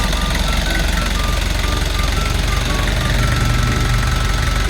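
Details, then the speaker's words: Kia Bongo Big Eye diesel with electronic pump, after a no-start fix: steady, even clatter at idle with regular low thumps about three a second, no misses or knocks; idles normally after repair. "Ah goods na siya. Goods. Okay. Lalarga na siyang unit"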